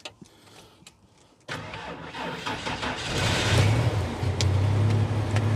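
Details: Work truck that sat idle during quarantine starts with the blower motor off to save battery; it catches promptly and settles into a steady, smooth idle, starting and idling normally.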